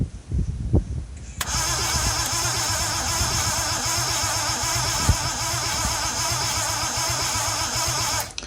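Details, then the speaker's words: Scimitar GTE engine not run in about 25 years, three cylinders low on compression, wrong carburetor: starter turns it over steadily about seven seconds without catching; no spark at the coil despite adjusting points and static timing. "Unfortunately she wasn't having any of it, she wouldn't even spark once. I then proceeded to check the actual spark at the coil, check that the points were working. And I was getting absolutely nothing."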